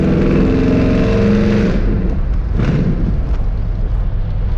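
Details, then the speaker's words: Engine after fixing exhaust leaks at the mufflers: revs briefly, then settles into an even, steady run with no ticking, puffing or rasp; the exhaust now sounds sealed and healthy. "sounds pretty good right finally sounds like I'm saying it's got a little life to live again"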